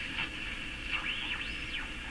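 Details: Canadian Philco model 57 tube radio with an outside antenna coil nearby: whistling tones swoop up and down in pitch over a steady hiss as the dial moves. Heterodyne whistle while tuning, cause uncertain, possibly poor alignment or interference.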